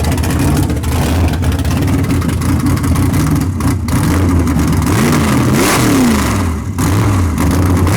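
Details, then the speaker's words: Big-block Chevy V8 drag car "Bad Penny" after tunnel ram swap, at the track around a transbrake run: barks and revs cleanly, pitch sweeping with throttle, no knocks or misses; sounds way better, expected to gain about four tenths. "it sounds good though sounds way better i'm telling you right there four tenths okay it'll pick up at least four"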